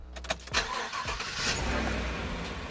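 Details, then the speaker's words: Chevy full-size truck starting normally on its own battery, before the battery is drained to test a Lockthor JP400 jump starter. A couple of quick cranks, it fires within half a second and settles to a smooth, steady idle. A healthy start. "the only problem is that it starts fully right now. So, we have to kill the battery somehow."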